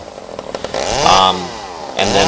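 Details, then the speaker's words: Small two-stroke chainsaw carburetor after cleaning: the low-speed mixture screw is turned out and in until it runs rough, giving a wavering, uneven pitch as revs rise and sag; rough running during idle mixture adjustment. "when I adjust the low speed jet I adjust out the screw until it starts to run a little rough I bring it in until it starts to run rough"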